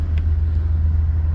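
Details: Mercedes Sprinter diesel after fixing fault code P2263 boost pressure deviation: inlet manifold seal air leak repaired, manifold cleaned and refitted; on restart, deep steady idle rumble with even beat and no intake hiss or whistle, normal idle.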